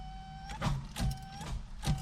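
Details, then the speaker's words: 1988 Chevrolet S10 Sport ZQ8, sitting since 1994, on a rusty battery connection with one new terminal: the starter whirs faintly and drags the engine over slowly, about one stroke every half second. Slow cranking; the owner thinks there isn't enough power and plans a new battery. "yeah I'm not going to have enough juice to start it"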